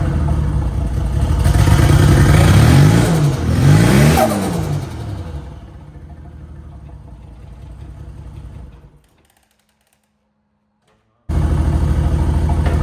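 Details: Holden VL turbo project, start after rechecking ignition timing: engine catches, revs up and down smoothly twice, settles to an even idle, then cuts off; timing about right, running clean.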